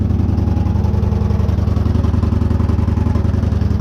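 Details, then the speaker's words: 2014 Victory Cross Country Tour salvage V-twin, no mufflers, just after first start: open-pipe thumping evenly near three beats a second with steady, clean rhythm; healthy idle, small oil leak at oil cooler fittings. "Sounds healthy. The Salvage Not Salvage bike runs, and it sounds really good. I mean, it's got no mufflers."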